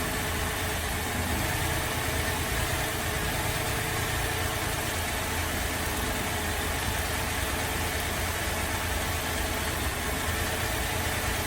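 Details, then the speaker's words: Holden VZ Adventra Alloytec V6 running very rough at idle while coils are unplugged one at a time: lumpy, unsettled rumble; misfire traced to failed number 5 coil pack. "So I'm going to start the car up. It's running very rough and we'll disconnect a coil at a time and see which one we think is bad."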